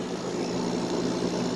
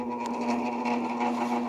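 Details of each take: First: Normal running of a 5,000 BTU Fedders window air conditioner, likely early 2000s, after a few minutes on high cool. A low, even, steady hum with no rattle or knocking; the compressor is really nice sounding. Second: Fedders 5,000 BTU window AC, model A1Q05F2C, likely early 2000s, stored long in a barn, tested on low fan. A steady buzzing hum with a gritty edge: the fan motor bearings are stiff and bad, worn and needing oil.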